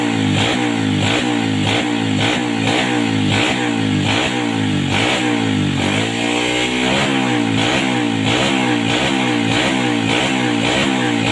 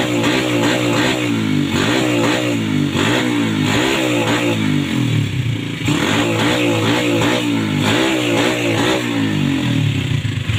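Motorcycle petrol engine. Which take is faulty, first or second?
second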